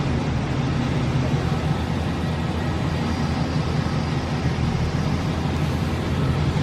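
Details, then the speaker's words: Newly bought cheap used vehicle, engine running steadily with low rumble; shifted into reverse and first, nothing engages, no take-up or load. Transmission known blown, needs replacing. "Throw it in reverse. That's the first. Nothing. It's got no gears, which I knew of, but."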